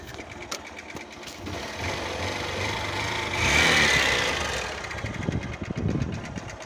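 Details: Moto Fan 125 motorcycle single revving up and down, with a fast, regular tapping knock over the engine note; owner suspects a connecting rod or piston knock from inside the engine, source unconfirmed.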